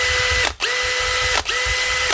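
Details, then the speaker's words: Makita DHP483 18V compact drill after a new 604 bearing and grease, with the worn chuck not yet replaced: three short trigger pulls, each giving a clean, steady gear whine that winds down smoothly with no grinding or rattle, a big improvement. "Was that little bearing, or just the grease? What a difference, eh?"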